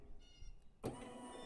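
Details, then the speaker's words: Bad Boy Elite zero turn mower deck lift actuator run by bypassing a bad rocker deck lift switch (part 078-3000-00) with jumper wires: small electric motor kicks in and whirs steadily without grinding as the deck comes up; normal actuator run. "y'all hear the deck coming up but guys that's how you can temporarily lower your deck in case your switch went out"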